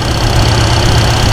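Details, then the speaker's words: Ford Mustang V8 with TKX and Holley Sniper 2 EFI, warming at 140°, about 58 psi fuel pressure: steady even low rumble with audible IAC and injector ticking; smooth healthy idle. "I mean, look how smooth this thing's running."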